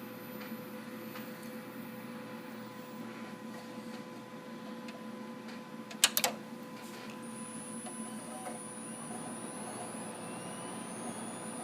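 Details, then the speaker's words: Dell OptiPlex 760 desktop PC's original power supply, system booting: steady high-pitched coil whine and hum with a brief clicking burst; supply judged bad, bad capacitors suspected, later replaced. "But listen to that power supply. I bet if I crack it open we're going to find some bad caps. If not, something in it's bad, because that's a lot of coil whine"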